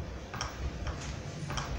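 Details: Philco TCM-2044 TV, standby LED blinking as it cycles on and off: sharp soft ticks about every half second from the set's speaker; an open resistor feeding a capacitor, found by measuring voltages, causes the power cycling.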